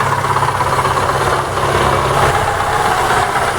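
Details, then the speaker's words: ZAZ Lanos with the 1.4 MeMZ 317 engine, after repair for a head knock and no oil pressure: it idles quieter but with a heavy, dull rhythmic thud, localized to the clutch housing/gearbox rather than the engine. Loose flywheel bolts suspected. "в общем такой сильный звук я локализовать он доносится с картера сцепления"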